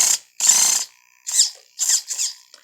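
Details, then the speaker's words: Helion Conquest 10MT RC truck, stock steering servo: short bursts of rapid, sharp ratcheting clicks only under steering resistance, turning left; owner suspects a stripped servo gear. "though the servo is kind of fine for what it is it did make kind of a clicking noise at one point"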